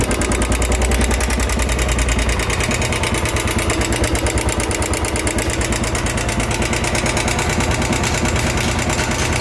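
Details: Royal Enfield 350cc BS4 single-cylinder idling with a loud sharp ticking in step with the idle; not piston, crank or timing chain but hydraulic tappet (lifter) noise.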